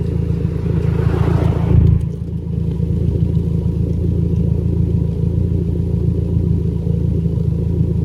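Deep idle with a blip early on, then an uneven lumpy beat that occasionally stumbles; a lingering misfire at idle.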